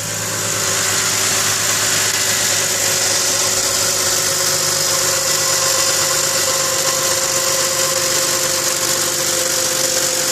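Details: 2010 Ford Mustang V6, very cold after sitting many hours: fast, light metallic ticking under a hiss, louder and faster with rpm, fading as the engine warms. Owner suspects lifters; cause not confirmed.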